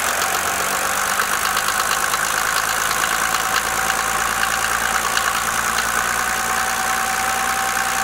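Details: Mercedes OM603 diesel at idle: sharp, fairly even knock riding over the diesel clatter; source of the knock still unknown.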